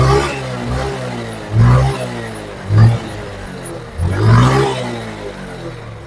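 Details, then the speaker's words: 2009 Yamaha Mio scooter just fitted with a cheap aftermarket carburetor, kick-started: engine idles evenly, then three quick throttle blips rise and drop back cleanly; idle is smooth and carburetion sounds healthy. "Di sini, putaran mesin saat idle cukup halus, teman-teman. Ini bagus."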